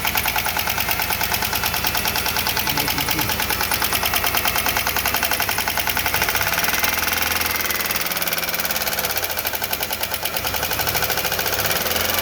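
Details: 3800 V6 running: loud steady rapid crisp metallic top-end ticking even at idle; cause unclear, ticking reportedly later stopped on its own and engine ran perfectly.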